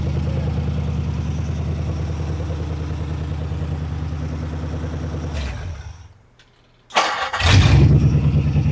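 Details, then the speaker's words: Ford Flathead V8, about 265 cu in, 4-inch stroke, four-barrel carburetor, ignition resistor, one-wire alternator, on a run stand: even idle cuts out, then restarts almost at once and settles back into a smooth idle; starts easily, healthy. "That is so smooth. That sounds so good. I know, it just runs so smooth."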